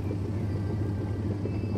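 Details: Denpoo twin-tub washing machine after repair of a jammed, broken wash motor: steady low motor hum with even rumble, reversing direction, no scraping or grinding; normal operation.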